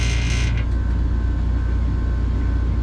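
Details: Johnson Controls water-source packaged heat pump mounted in a ceiling, serviced for not cooling (thermostat 66, room 79°F): smooth even low hum with faint steady tone, no rattle; runs quietly.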